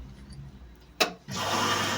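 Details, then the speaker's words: Indesit IWSE6105 washing machine with a drum that would not turn, trial run after refitting the motor, brushes and a very tight belt. A click, then the valve opens with a steady rushing hiss of water filling; a normal fill. "Так, пошел набор воды."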